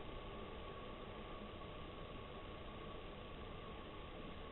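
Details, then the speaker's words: Chinese diesel heater on bench test before boat fitting, about 5 minutes after start: soft, steady rushing hum with no surges or knocks; fuel pump has slowed (hoped about 1.3 pulses a second) and noise has died down considerably; normal low-output running. "So I'm hoping it'll go down about 1.3 a second. And the noise has died down considerably."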